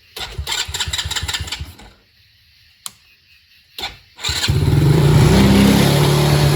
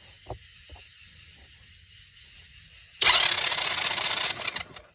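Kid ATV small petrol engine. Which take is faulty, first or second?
first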